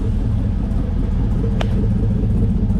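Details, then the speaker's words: LS-swapped Pontiac Firebird that breaks up at low rpm on throttle, suspected fuel issue, idling: steady V8 rumble with a faint uneven stumble about twice a second; idle changes when one O2 sensor is unplugged, so owner suspects an O2 sensor. "But you could literally hear there's a slight miss in this. And watch when I unplug this side O2 sensor. You can almost hear the idle change."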